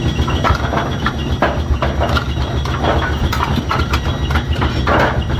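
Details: Brunswick A2 pinsetter turret indexing, checked after adjustments. Irregular clatter and thumps, under two per second, over low rumble; turret indexes evenly, nothing binding or slipping.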